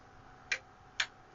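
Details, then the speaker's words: Voltcraft PS-1440 36V 40A 1440 W linear DC power supply, output on/off switch faulty: two sharp relay clicks half a second apart over quiet hum, but the output stays on; owner suspects burnt relay contacts. Relay clicks, output not switching. "And we had a problem with the switch here, the output on off, and it sounds like there is a relay, but maybe the contacts are"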